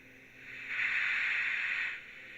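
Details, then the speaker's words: Realistic TRC-1005 CB radio after repair of no power on external DC jack, speaker reconnected: steady, even high static hiss rises, holds about a second and fades; receiver audio working normally, also heard on another radio. "you can hear we have sound and you can hear it on another radio so that's a good quick repair"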